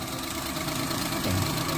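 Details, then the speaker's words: Suzuki Alto 800 after water pump replacement (sealant instead of gasket, timing belt refitted); steady even idle hum, the earlier whine gone, only a slight swell near the end. Normal idle, now watching for leaks. "So, start. Okay. So, wala nang ingay. So, ngayon, obserbahan muna natin kung may leak."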